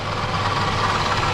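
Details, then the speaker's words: Toyota Camry 2.4 with engine rattle, VVT-i clutches first feared; pry bar on belt: noise present with tension, gone when loosened, so water pump most likely. Idle with light, fast metallic rattle from belt end. Water pump bearing noise. "Звук есть. Ослабляю, звук исчезает. Звук есть. Предварительно это помпа. Ну, большая вероятность, что это помпа."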